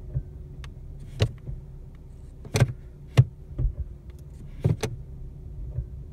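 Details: New 2017 Ford Mustang V6 automatic, about 580 miles, clunking since ~100 miles: several sharp clunks when shifting P to R and into D/S, over a faint hum; dealer replaced a defective driveshaft flange, cause not confirmed.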